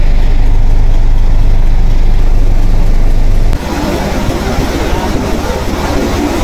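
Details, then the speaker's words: Shacman truck with Weichai WP12 380 diesel, overheating complaint, first start: coolant boils over from the reservoir and the engine shakes heavily with an uneven lumpy beat about 3.5 a second; rough running, cylinder heads to be removed for top overhaul. "Ayan, kita natin bumubulwak, first start pa lang. So malaki talaga ang problema niya. Sobrang nanginginig yung engine."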